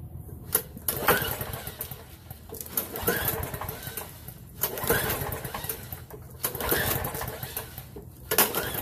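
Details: Ethanol-gummed lawnmower carburettor after cleaning and refitting, before waiting long enough for fuel to fill: repeated pull-start bursts about every two seconds that sputter and die without catching. No-start from fuel starvation, blocked carb jet.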